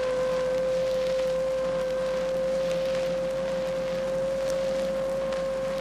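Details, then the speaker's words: Rear axle on acceleration: a clear, steady mid-pitched whine rising in pitch as speed increases over a soft rushing background; rear axle gear whine from pinion-to-ring gear contact or pinion shaft bearings. "Now, if you didn't notice how it increases in pitch as power speed increases, let's play it back again. Hey, that sounds like a wine to me."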